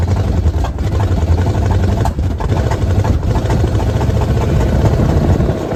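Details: 1979 Jeep J20, original AMC V8, dual exhaust, low compression, on a refilled quart of fuel: rough, lumpy low running with uneven beats and stumbles, misfiring on weak middle-cylinder compression.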